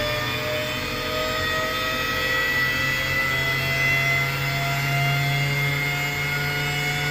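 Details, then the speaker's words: Alup SOLO 15 inverter-drive 15 kW screw compressor, permanent-magnet motor at 150 Hz, filling receivers from 0 bar: steady airy roar with constant low hum and fixed high whine, no knocks or surges; running smoothly. "So let's start the compressor and see how it will fill their tanks. The compressor possesses PM motor with permanent magnets, and it works on 150 hertz."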